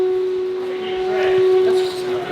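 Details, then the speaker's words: Nissan S15 Silvia on newly fitted, lowered coilovers, driven around the yard: a steady, drawn-out moaning groan at one pitch as the wheel turns; front tyre just touching the coilover after it settled while driving. "so what's happening is the wheel is actually just barely touching the coil over it wasn't when we had it sitting but when we went driving coil over settled a little bit"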